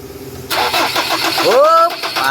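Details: Ford Ranger 3.2 diesel that won't start: the starter cranks and the engine catches roughly, then stumbles. Faulty injectors were the cause; two new injectors were fitted.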